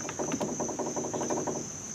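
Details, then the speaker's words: 2004-08 Ford F-150 front end with a 3-inch strut-spacer leveling kit, CV axle removed: quick run of dull knocks, about eight a second, as the stabilizer link is worked by hand: a worn stabilizer link. "so I told you my steering stabilizer links are bad and you're gonna hear this sound right now that's hearing stabilizer link"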